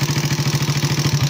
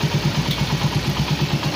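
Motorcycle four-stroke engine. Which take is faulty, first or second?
first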